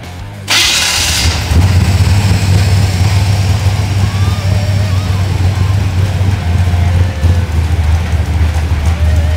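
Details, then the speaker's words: Engine on FiTech fuel injection at the default 13.6:1 air-fuel ratio, at idle before any AFR adjustment: deep, even low rumble with no misses or hunting. It is a clean, stable, normal idle. "So, we have a pretty clean, stable idle with 13.6 to1."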